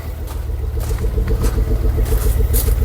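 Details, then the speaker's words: Ford Focus ST225 first start in over a year: loud, uneven idle with a lumpy pulse three to four times a second over a deep rumble; running unhappily, water pump suspected, head to come off for investigation. "she's running [Music] [Music] it is not running happy at"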